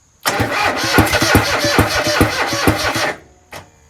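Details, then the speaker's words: Kohler 26.5 EFI ECV749 V-twin on a Toro Z-Master 5000 after a rebuild, cranked after a backfire that blew smoke from the air cleaner. Uneven, lurching compression beats and it won't catch. The owner suspects bent pushrods so the valves aren't opening. "That pop and then the smoke came out of the air cleaner and then it sounded different when I cranked it after that. I have a feeling I blew something such as the rods, the push rods, so that the valves aren't opening now."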